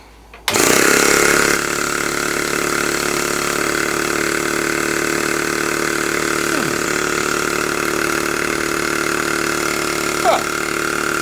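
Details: Repaired vintage American Weeden 17 model steam engine, run on a little compressed air after oiling, reversing gear set in an unknown direction: abrupt start, then fast, steady mechanical chatter and hiss at an even pace.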